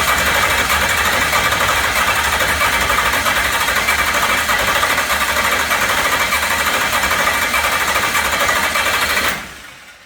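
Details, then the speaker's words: Newly built 403 stroker 6.0 L LS V8: loud, steady cranking about three beats a second for ten seconds without starting; no RPM signal, suspected miswired extension harness for the crank sensor. "So I knew there was a chance it could possibly be wrong, but we're hoping we got crank signal cuz at this point I've cranked over no RPM signal."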